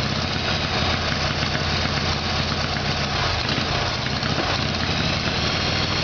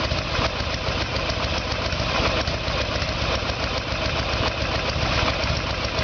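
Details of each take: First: Harley-Davidson Evolution Sportster, rear cylinder was not firing: uneven lumpy V-twin idle that stumbles and wavers midway; rough running from carburetor fault, before new iridium plugs and timing. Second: 1994 Harley Sportster Evolution with a 1996 engine, carburetor found to be the problem; idle while ignition timing is checked with the two dots centred in the timing window. Steady, even V-twin idle with a deep regular beat and no knocks or misses; healthy idle.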